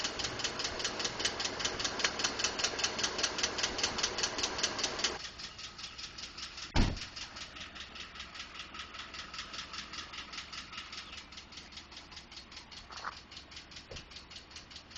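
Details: 2012 Ford F150 5.0 V8 at idle: steady light ticking about two or three a second; owner told it may be normal, injectors, fuel pump or engine tolerance. Engine ticking, cause undetermined.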